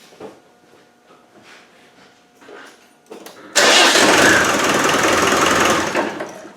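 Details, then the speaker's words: Land Rover 110 300Tdi diesel after fitting electric fuel pump for hard starting: near silence, then catches at once with no cranking and settles into steady even idle; starts as it should. "i'm so pleased i'm gonna start it again this is how they should start"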